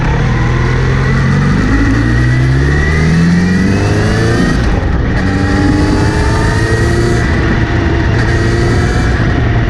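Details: Kawasaki Z900RS makes a whirring buzz rising with speed under acceleration or in gear, after cleaning and relubing the chain; seems from front sprocket area, chain clean and tension OK; cause unknown.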